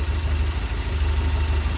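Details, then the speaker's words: Porsche 924, cold start after sitting a few weeks, just after a new fuel pump and accumulator were fitted; deep, slightly uneven lumpy idle that improves when the airflow meter plate is lifted by hand; cause of rough cold running not confirmed. "and the engine runs slightly better when I just touch it. But obviously the engine hasn't run for a few weeks, so it is a cold start."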